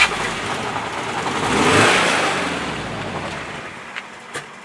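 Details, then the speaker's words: $50 project car freshly jump-started after reassembly, burning off coolant; blipped, revs sag and hunt, won't hold idle, needs revving to stay running; owner suspects dirty throttle body. "does it not stay alive try it again can you not keep it alive"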